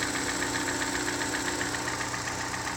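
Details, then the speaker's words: 2013 Hyundai Elantra 1.8 L, 53,000 miles, about 50°F, cold: sharp steady tick-knock about 2.5 per second, louder on acceleration, stops on deceleration; owner suspects piston slap from bore scoring and damaged cylinder coating. "so you can hear it and you know that it's from the cylinder walls when you hear it on the acceleration but is it decelerates it's no longer knocking"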